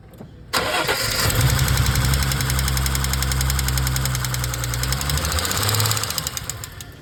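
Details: BMW E30, M20 2.5: starts and idles with a light fast tick about three or four per second from the top end, excessive even for the model; valves adjusted several times without help. Owner suspects cam and rockers; head to be pulled.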